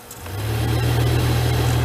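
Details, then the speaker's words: 2007 Toyota Tundra with crash damage, HVAC blower running on recirculate: the sound goes from smooth to a low, steady droning hum that swells and holds with a slight shudder. The blower is vibrating; the owner suspects it sucked in a leaf. "it was like quiet and then all of a sudden it started oh well it was smooth and then it started making like a vibrating sound"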